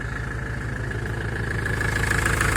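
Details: 2002 Ford Transit 2.4 diesel (90 hp) after replacing the noisy idler pulley on the accessory belt: a steady, even idle with a smooth low rumble and no belt whistle or squeal.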